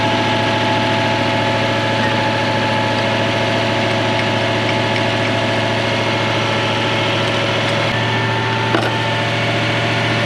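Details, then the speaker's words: Toyota 1UZ-FE 4.0 litre V8 swapped into a Mk1 Ford Cortina, first proper run; steady idle with a faint uneven lope, one cylinder not firing, cause unconfirmed. Oil pressure 600 kPa (about 90 psi). "we need to get that last cylinder working don't we"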